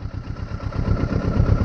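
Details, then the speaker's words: Kawasaki Versys 650, idle screw turned down to about 900–980 rpm; slow, lumpy low idle with uneven pulses and the engine hesitating and nearly stalling on start, idle speed set too low. "vocês perceberam como ela hesitou e quase afogou"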